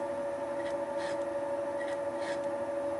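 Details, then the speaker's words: Wohlhaupter UPA5 facing and boring head on Thiel Duplex 158 mill facing the plastic lawn mower bearing-seat housing, cutter advancing radially a few tenths of a millimetre per rotation; steady high singing tone with soft scrape each sweep. Normal facing cut. "the facing and boring head was set up for facing so that the cutter advanced radially by a few tenths of a millimeter with each rotation"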